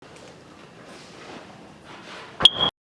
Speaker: So if you've been hearing that beep, it's time to change the battery.